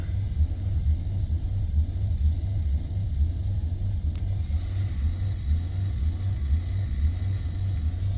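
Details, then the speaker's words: 2005 Maserati Quattroporte, 4.2 litre V8 Ferrari engine, low battery voltage: deep, lumpy idle that swells and sags, really not happy, nearly every error on the dash; rough idle. "it's really not happy. No idea what's going on with it. It's all sorts of faults, no doubt."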